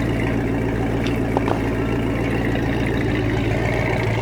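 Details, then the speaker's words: 1986 Supra boat, 351 V8, after replacing a worn-out distributor and rebuilding a dripping carb. Deep, even V8 burble holding steady with no misfire, knock or rattle; runs as it's supposed to: normal running. "start it up now sound like it's supposed to"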